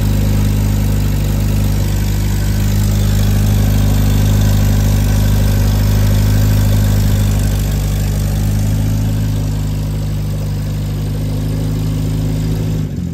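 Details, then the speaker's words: Hillman Minx at first start, started effortlessly: smooth, even low idle with no knocks or misses, running beautifully. Normal idle. "It runs, and it was effortless. Can you believe that? Oh, I was so ecstatic over that. Anyway, so yeah, runs beautifully."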